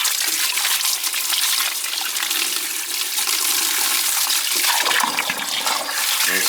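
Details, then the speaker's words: Gas boiler heating zones with air, after clearing a blocked feeder with electrolysis buildup: strong, steady rush of water through the purge point with zone valves bypassed, no sputtering or air gulps; flow good, blockage cleared. "the flow now i mean that's a lot better that's what we want"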